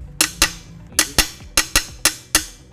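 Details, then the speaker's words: Honda BeAT 2015 non-eSAF frame tapped with a hammer: eight sharp metallic taps ringing briefly and dying fast, a dense solid sound indicating a sound frame tube. "Lalu kita coba pukul. Nah, suaranya kurang lebih seperti itu. Cukup padat ya."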